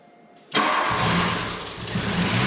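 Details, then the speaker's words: 1989 Volkswagen Cabriolet, first start in over 2 years sitting, after new engine wire harness and reconnecting starter plug: catches abruptly after brief crank, settles into steady, slightly uneven idle; starts and keeps running. "I swear to you that it's the first time I've tried to start it and the first time it has tried to start in over two years"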